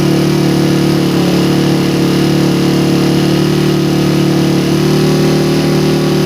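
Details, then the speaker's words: Engine on PWK 28 carburetor during air-screw setting test, held around 4000 to 5000 rpm, air screw ending at 4 turns out: steady constant high buzzing rev, no popping, hesitation or surging; mixture sounds right. "Biar durasinya nggak lama-lama guys. Suara 4000 menuju 5000 fpm kurang lebih seperti ini."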